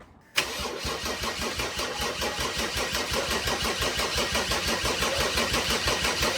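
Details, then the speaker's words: Mercedes 190D with OM606 swap and new Bosch 044 electric fuel pump, cranking: steady starter churning at about three turns a second with no firing. Pressure reached 20 PSI, but the lift pump was disconnected with its pin still in and sprayed fuel, probably why no start. "Uh, it built pressure. It's at 20 PSI, but Oh, no, no, no. Uh, the lift pump, uh, the pin is still in. So, just since disconnected, just shooting fuel."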